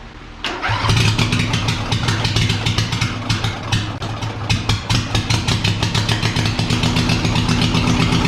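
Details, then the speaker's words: Small tractor engine started on choke with the muffler removed, after teardown and repaint: catches and runs with loud, sharp, crackling unmuffled exhaust pops at every firing; open exhaust, no muffler. "So I'm wondering what it sounds like without the muffler on it."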